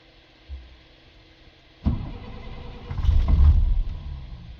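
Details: 2000 DT466E diesel with hard start: heavy starter cranks unevenly for a couple of seconds with no firing, then stops; no check engine light. Cause not confirmed.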